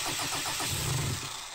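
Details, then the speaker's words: Mitsubishi 4M40 2.8 L diesel from a scrapped Delica, run outside the vehicle for the first time with only injector four cracked: uneven cranking, then it catches and stumbles roughly, with air still in the fuel system. "it tried to fire it up good we noticed some still came out but still running a bit rough because we have an error"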